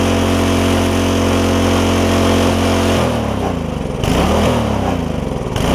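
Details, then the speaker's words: Free barn-find tiller small engine, first start with gas in it: runs at a fixed high speed then surges and dips because the throttle is frozen; once freed it idles. "Throttle's frozen. Let me get the throttle unstuck."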